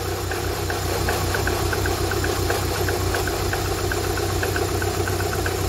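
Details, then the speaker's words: K-Series engine just after coolant tank replacement and refill, warming up: smooth even idle with light regular valvetrain tick over steady low hum, no roughness or knocking; normal idle. "hers absolutely purring right so that's a level now we're going to just let it warm up"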